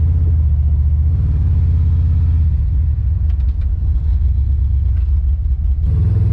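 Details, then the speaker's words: Car on its first test drive: a deep, heavy exhaust rumble that stumbles unevenly under throttle instead of pulling clean. It is skipping, a returning misfire the owner thinks is probably a spark plug wire. "well i think our wire problem is back so the car is skipping [Music] gotta figure out what the misfire situation is it's probably that plug wire and uh i'll report back"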